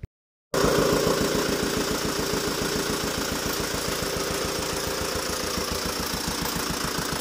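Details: Tata Safari Dicor diesel after major service, started by mistake without engine oil and slightly wrong timing belt; five rocker arms broke. Hard regular clacking about 3.5 per second over rough idle, metal slapping in top end.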